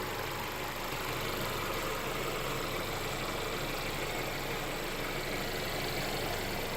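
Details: Mercedes CLA idling right after a DIY oil change with Mobil 1 0W-40 and an OEM Mercedes filter. Smooth, steady idle with an even hum and no ticking, knocking or hunting. No leaks were seen at the filter; the engine sounds healthy.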